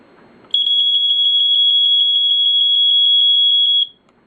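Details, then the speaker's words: First Alert SA120 EscapeLight smoke alarm test: piercing high beep pulsing very rapidly, about six per second for three seconds, faster than other alarms heard; normal test tone. "it's a very fast pulse as well it's much faster than any other that I've heard"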